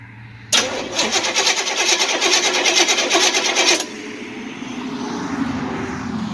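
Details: Chevy Nova, after an earlier carburetor backfire showed it was too advanced: quick, even cranking whirr for about three seconds with steady clatter, no grinding; starter engages cleanly.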